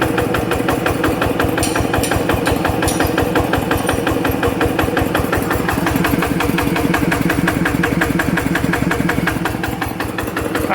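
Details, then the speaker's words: Rebuilt TF85 LM single-cylinder diesel with a new side cover O-ring and original rings; the owner says no oil burning, slight exhaust smoke. Even rapid beat at about three a second with no miss or extra clatter: normal, healthy running. "เสียงก็ประมาณนี้นะครับแต่ใครอยากได้หรือรับสภาพได้ก็โอเคนะครับ"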